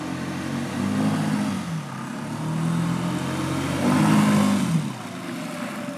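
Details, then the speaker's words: Outboard on a dinghy with 3D-printed hydrofoils, running: steady drone whose pitch surges mid-run without more throttle, then drops; prop over-revving, suspected cavitation from the prop nearing the surface as the boat lifts on the foils. "cavitation occurs when the prop is too close to the surface of the water and ends up sucking air down and therefore it's a lot easier to turn and over revs"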